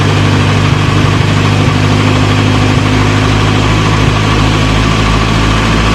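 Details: 1937 Morris 8, 918cc pre-war engine, running on choke during recommissioning: strong, steady idle hum, even unbroken beat, no knocks or misses; about 75 psi oil pressure, slight smoke burning off oil around the valves.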